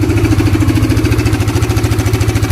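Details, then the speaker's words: Honda CBR (new) motorcycle idling with a rough, busy rattle over pulsing exhaust that returns when revved after adjusting the cam chain tensioner; failing tensioner to be removed. "suara bising itu kembali terdengar. Karena itu, saya ingin melepas bagian batang penegang."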